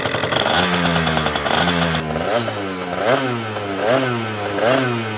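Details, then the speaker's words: 1998 Yamaha Aerox 50cc two-stroke scooter after Stage 1 engine and transmission build, first start: catches after a few kicks and runs with crisp buzzy revving that blips and settles, pulling cleanly and healthy. "good old days of the two-stroke smell."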